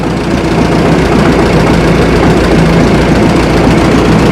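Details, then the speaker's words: Minneapolis Moline tractor engine idling after a flooded start, holding 25–27 psi oil pressure: light, uneven rattle over a rough rumble. Owner suspects rod or main bearings (lower end) rather than rocker arms, but is unsure. "So, I'm not uh I'm not 100% that it's the rod bearings or or any of the main bearings, but that's kind of what it sounds like."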